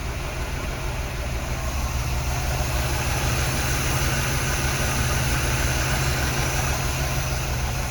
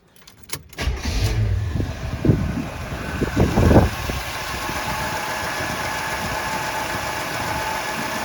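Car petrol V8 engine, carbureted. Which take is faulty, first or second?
first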